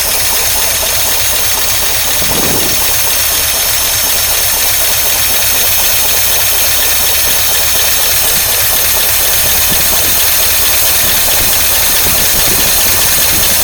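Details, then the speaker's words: 1953 Oldsmobile Rocket Super 88 barn-find V8 at idle, briefly warmed: loose, wandering, uneven beat with lots of hiss. Rough idle with a possible misfire, intermittently good then awful. Owner is working on carburetor issues, and timing is not yet checked. "no don't worry come on that starter is totally hitting miss sometimes it sounds great sometimes it sounds awful nope doesn't like that doesn't like that"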